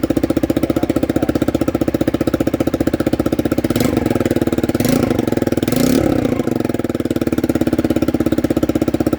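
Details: Honda CBR sport bike idling with a sharp, rapid puffing tick on every firing pulse, louder with short revs: exhaust leak.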